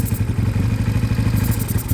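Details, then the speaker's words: Emissions system hoses being blocked off to check for air: lumpy, irregular loping idle with slight hunting; split emissions hose found as the vacuum leak, to be replaced or blocked off and the system removed. "so we found we found we found our problem there straight away so all I need is is a little a good piece of this that I can chop or I'll get a new one actually P it on and block it off"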